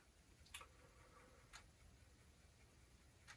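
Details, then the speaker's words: Commodore 1541 disk drive formatting a disk: faint, sparse ticks about one per second as the stepper motor moves the head from track to track, normal head stepping showing the drive works. "if it is working you should hear the little clicking of the stepper motor going from one track to another to another to another"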